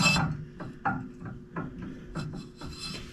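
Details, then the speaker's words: Lawn Ranger mower deck, spindle turned by hand after removing seized blades, in about 30-degree cold; gritty, rasping rub on each turn with uneven drag; spindle bearings, with no grease zerks, are rough. "But another problem that came up, which I don't know if you can hear it, but we're going to see here. See how rough those bearings are?"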